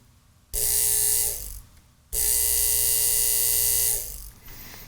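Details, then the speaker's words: 1950s ATR mechanical power inverter (6 VDC to 110 VAC), vibrator after its contacts were brought back into connection: two clean, steady high-pitched buzzes of about one and two seconds, starting and stopping crisply; oscillating properly. "bring that close to the mic so you can actually hear that and see that you hear how noisy that is isn't that crazy"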